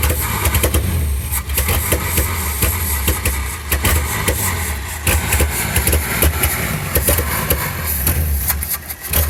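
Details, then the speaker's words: Field-find car that did not run, carburetor engine: lumpy, stumbling idle with uneven beats and dips in loudness and no popping back through the carb; misfire. "I don't har popping back no I don't see it either I mean it's definitely not happy to be alive"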